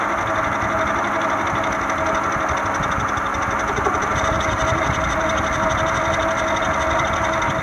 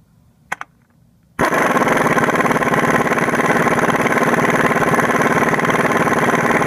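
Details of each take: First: 1996–2001 Toyota Camry four-cylinder idling: loose, uneven rattling knock over a steady hum, from a noisy, shaky failing harmonic balancer needing replacement. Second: 1996–2001 Toyota Camry 4-cylinder after replacing a noisy, shaky harmonic balancer: a few clicks, then the engine catches and settles into a steady, even idle with no knock, wobble or chirp. Normal idle.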